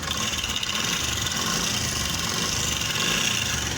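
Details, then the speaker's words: Honda CD 70 motorcycle idling with a fast, dry metallic rattle from a loose, worn timing chain. Fixed by replacing it with a new Mitsubishi timing chain. "मैं आपको बता दूं इसकी timing chain आवाज क रही है"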